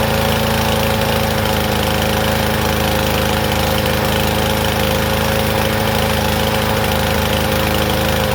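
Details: Troy-Bilt TB110 push mower, about 10 years old: small single-cylinder engine running loud and uneven, no crisp beat; rich, choke-like running from a dislodged carburetor part hitting the main jet.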